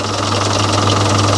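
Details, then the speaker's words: Volvo Penta KAD32 marine diesel with DP290 outdrive, which runs warm at full throttle (pump timing suspected retarded): steady, even low diesel thrum at idle with no misses or knocks; healthy idle. "sounds like an engine running looks right to me"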